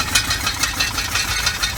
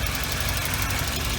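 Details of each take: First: Volvo bought at auction, about 200K, running cold with a check engine light on: uneven, lumpy idle with irregular stumbles about once a second and a light rattle; owner expects it to improve as it warms; cause unconfirmed. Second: Car bought at auction, about 200K, idling: steady low idle with an even rumble; not smoking and running well; a faint puff suggests a slight exhaust leak, otherwise healthy.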